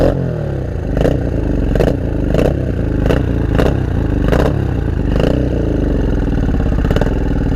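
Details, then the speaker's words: Honda Shadow 500 V-twin, first start after 3–4 years apart: lumpy, uneven chuffing with irregular pops over a rough idle, only the front cylinder firing, with fuel leaking. Running on one cylinder. "It sounds like it's only running on one. I think we're only running on one."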